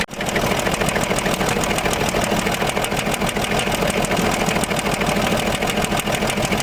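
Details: Land Rover Discovery 3 2.7 diesel at idle, mileage believed to be about 280,000 km, eni i-Sint 5W-30 oil: a heavy, rhythmic bottom-end knock about three times a second builds as the bearing shells spin; rod knock.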